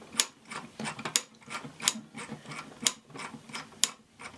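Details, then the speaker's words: Kamco Saturn/Iron Man toy robot from the early 1980s: notched gear on the display-spinning shaft snaps against a small flap, giving sharp crisp clicks about once a second with short pauses; sound-maker clicking mechanism working as intended. "And that also on that same shaft, there's this gear right here that has some teeth and a notch, some teeth and notch, teeth and notch. And it's up against this little flap right here. So there's the sound maker. So you get this clicking sound."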